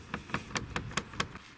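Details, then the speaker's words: Approved used Land Rover Discovery Sport HSE Black, about 13,330 miles, one week owned: light hollow taps about five per second, then fading, from loose interior trim knocking against the panel while driving; owner suspects poorly fitted plastic trim, not confirmed. "Maybe, in fact, maybe there was a noise coming from that side, and to get rid of it they pulled it up and flicked it on under so it's less movement. I suppose I could put something in there to stop it from rattling."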